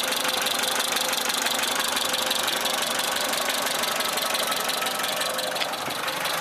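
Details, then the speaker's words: Suzuki SJ410 at a warmed-up idle: a light, fairly regular tick about three per second over the engine. The valves have probably never been adjusted, so loose valve clearance is likely. "The engine's warmed up now a bit, so you can hear what it sounds like. It's a little bit of ticking, but I haven't adjusted the valves on this."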